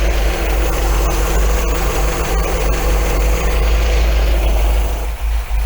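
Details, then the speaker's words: 1980 MGB four-cylinder with twin carbs, after rebalancing them (the back carb was picking up faster, so the front was adjusted): a deep, steady idle with an even pulse and no stumbling or surging. It sounds good and balanced. "sounding pretty good at this now to be honest with you i think i probably leave well enough alone"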